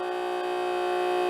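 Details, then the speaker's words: Old water pump on a weak 12.27 V battery, flow seems slow: steady, strained whine holding one pitch; either the pump or the battery is dying, cause not confirmed. "Seems like it's going kind of slow. Wow. Yep. Listen. Either my pump is dying or my battery is dying."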